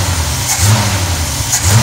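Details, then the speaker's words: Engine with Edelbrock 1405 four-barrel carburetor cleaned after a failed fuel filter filled it with debris, float freed by tapping: even idle with two quick blips rising cleanly and dropping straight back; carburetor responding properly. "but it's sitting here idling. I have not revved it up yet, but right now it is idling better than it has the last few days."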